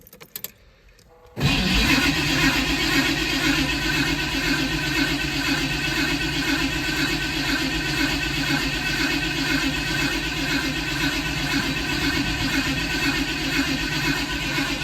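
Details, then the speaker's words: Mildly built 351 Windsor swapped into 1980 Ford F-150: starter cranks steadily about two beats a second, never catches; ignition system wire found not hooked up, cranking no start. "bright side fuel pump should be primed time to charm maybe not turns out that wire wasn't hooked up"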